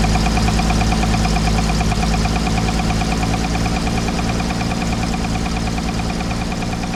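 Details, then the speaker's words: 1968 Toyota FJ40 after a D40 carburetor overhaul, running at idle with a steady low knock of about three per second. The carburetor works fine; the knock's cause is not yet known. "Well, pretty much fired right up. Carburetor worked great. Haven't had it on the road, obviously, but as you could hear when it fired off, we got that knock."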